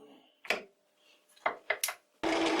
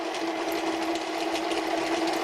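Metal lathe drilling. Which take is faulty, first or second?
first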